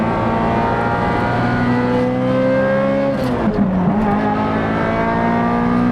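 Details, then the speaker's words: Ferrari 355 manual V8 after a full engine refresh, with a Tubi, Larini and Capristo exhaust, driving with the exhaust valve open. The note changes past 4,000 rpm into a clean hard-edged climb with even firing, no misses. Normal. "that's with the exhaust valve open. And I've got to say, you can see by the grin on my face, oh my god, this is what a V8 Ferrari is all about."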